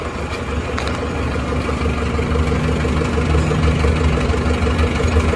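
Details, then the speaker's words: Isuzu Panther LS automatic diesel on its 4th engine failure in 7 months, first cold-morning start after a failed start the day before. Deep lumpy idle with inconsistent, uneven firing and exhaust smoke. Rough idle. "bus-busnya tidak konsisten ya jadi seperti ada satu kali satu kali itu ya tidak rata terus"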